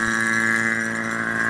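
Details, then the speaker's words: AC vacuum pump evacuating the repaired AC system of a 2000 Ford F150 5.4L via the manifold gauge yellow line: steady even mid-pitch drone, no knocking or surging; pump running normally. "And as you can see, we're already doing a vacuum. It's been running for 30 minutes."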